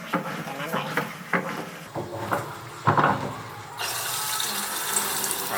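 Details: Panasonic AF90B2 washing machine during fill: after some clunks, water pours in steadily but drains straight out and won't hold water for washing; drain valve seal held open.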